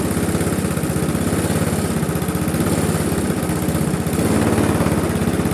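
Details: Briggs & Stratton Classic carbureted single-cylinder engine on a Razer GGP (ex-Castel Garden) mower, after carburetor work: chugs steadily at low fixed speed, never picks up; governor springs found too slack.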